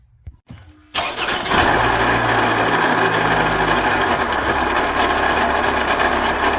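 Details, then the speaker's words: Toyota RAV4 with likely original water pump now spitting coolant: engine catches, then idles with rough whirring rhythmic rattle up top; water pump noise, to be fixed by replacing water pump, belt and tensioner. "the problem the where the noise coming from is from the water pump"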